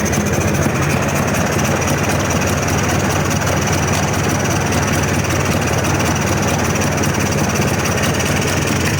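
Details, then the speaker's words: 1998 Polaris 400 liquid-cooled two-stroke 4x4 ATV with previously melted piston damage: flat muffled drone at idle turned fully up, bogging and badly lacking power; died when choke pulled. "It sounds like it's lacking on power real bad. I got it idled all the way up far as it'll go and it's it's bogging real bad."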